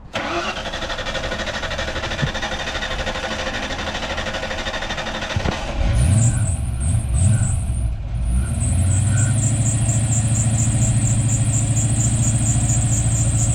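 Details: 1991 Ford Mustang Fox body barn find after new fuel pump install and more gas added, second attempt: few seconds of cranking, catches with a couple of blips, settles into steady even idle; healthy, no smoke.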